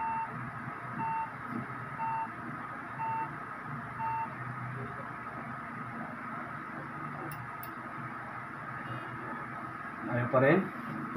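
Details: HP desktop turns on with no display, four short mid-pitched beeps about a second apart; RAM fault, cleaning RAM and slot didn't help, moving RAM to another slot stopped the beeps and restored display.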